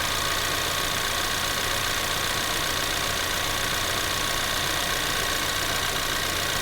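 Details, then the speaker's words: 2024 Ford Maverick XL AWD 2.0L EcoBoost, warm, idling with air conditioner on and fan run at low, medium and high: smooth airy blower rush with no rattles, squeals or grinding; normal AC and blower operation. "all right so you might have heard some different speeds of the fan I tried turning it on to all three settings the low medium and high setting"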